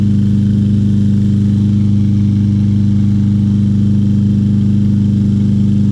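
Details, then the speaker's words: 2020 Craftsman M320 self-propelled mower, 163cc Briggs & Stratton, given away as non-starter with replaced plug and clogged air filter, started easily and runs with filter still clogged: steady even hum, no surging or misfire; normal running. "and it still runs with that air filter trying to self-propelled"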